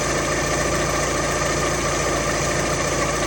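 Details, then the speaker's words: Alfa Romeo Twin Spark engine idling smoothly after swapping the SKF balance belt tensioner for a different make, which had caused a knocking/tapping from the timing belt area: steady running note, no knock. "and still, it's not jumping around anywhere. Obviously it's not knocking."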